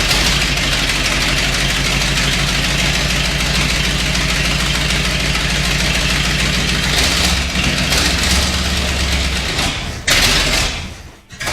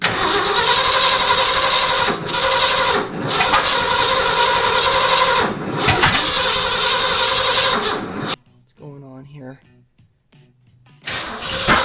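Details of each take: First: 1979 Ford F350 one-ton, first start after about 15 years parked in a field; factory fuel pump primed with ATF, it died from running out of gas, then restarted. Low, fairly steady idle with slight unevenness, no knocking or stalling. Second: 1979 Ford F350 V8, first start in about 15 years after sitting in a field: uneven cranking that catches and stumbles without settling into a run, cylinders misfiring because plug wires were in the wrong firing order (1-2-3-4-5-6-7-8 numbering).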